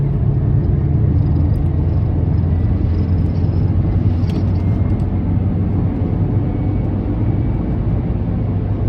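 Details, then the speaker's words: Worn Volkswagen Lupo accelerating under load in fifth gear: thin steady whine faintly above road and engine rumble; gearbox whine persisting despite a gearbox oil change two weeks earlier, cause unknown. "One thing you're going to notice now in a moment is the terrible whine out of the gearbox when you put it into fifth gear."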